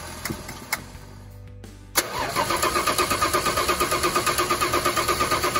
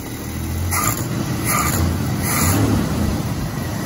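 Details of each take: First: 1986 Dodge D150 Royal SE, 225ci six, just-installed new-old-stock carburetor: starter cranks evenly, about three turns a second, for four seconds without catching; fuel starvation from the stuck new needle and seat, fixed by fitting the old one. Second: 1986 Dodge D150 Royal SE, 225ci six-cylinder, running after the new-old-stock carb was fitted and fuel was seen entering. Steady low, even rumble with no stumbles or flat spots, so it now runs normally.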